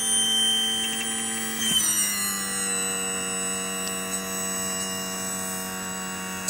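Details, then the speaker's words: 2000 Johnson 115 outboard: steady electric whine dropping in pitch with screeching as the power trim motor struggles raising the motor; full 12 volts reaches it, relays replaced; piston seals need replacing. "You hear a lot of screeching and that trim motor seems to be really struggling."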